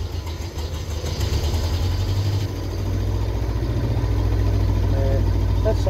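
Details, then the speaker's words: Land Rover engine reassembled, started with a little choke and some throttle: lumpy, uneven idle with an irregular stumbling beat, roughly three to four pulses a second, never settling; still misfiring. "so it's a little tiny bit of Choke give it some gas in it doesn't sound very good still misfiring"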